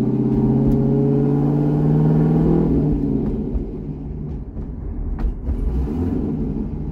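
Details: C6 Corvette V8 after an aggressive cam and long-tube header install, driven at part throttle on a revised HP Tuners tune (825 rpm idle target): steady burble rises then settles, pulling cleanly without stumbles. Normal running.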